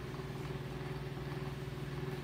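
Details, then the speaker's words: Antique Diehl table fan, about 100 years old, steel blades, oscillating on low speed: steady low motor hum with a faint rough, rattly texture from slightly worn bearings; otherwise runs well. "And as you can hear, the bearings are a little worn"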